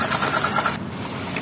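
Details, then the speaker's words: Suzuki Ignis manual, engine bay near the belt drive at idle: steady coarse growl with a whining edge centered on the V-belt tensioner while the alternator and water pump stay smooth; worn belt tensioner bearing, to be replaced. "Nah di sini pusat sumber bunyi ngoroknya atau bunyi kasarnya begitu ya Nah untuk bagian alternator atau water pump ini masih halus dan di sini pusat sumber bunyinya ini yang paling kenceng"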